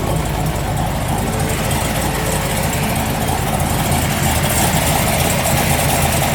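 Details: 1973 Corvette C3 big block V8 after a mini starter was installed to cure starter heat soak: deep, steady rumble at idle with an even beat, no starter grind or knocking; healthy idle.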